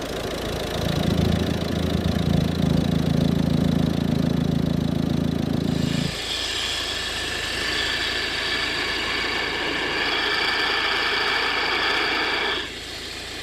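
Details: Volvo V50 1.6 diesel with a high-pitched whine over recent thousands of km, listened to at the pulleys before alternator and belt tensioner replacement: smooth idle, then an even whir near the pulley with no squeal, chatter or rattle.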